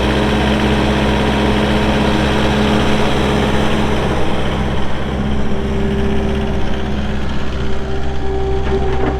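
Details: 2018 Takeuchi TL8 skid steer with 1,594 hours: steady, even diesel clatter and low drone holding constant speed, no knocks or misses; a healthy engine running.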